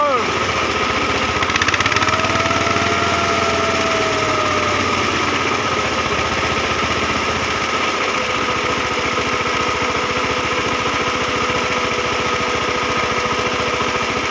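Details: VST Shakti 130 power tiller with a 14 hp single-cylinder diesel, running after fuel pump air lock removed to fix its starting problem: steady, even constant tone with no stumbles; normal running.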